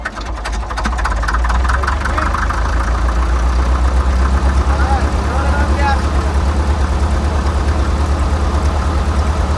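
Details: 1947 International Harvester TD-9 gas-start diesel crawler, first start in years after magneto rebuild: deep, steady low thump at slow even idle, no misses or knocking, running healthy.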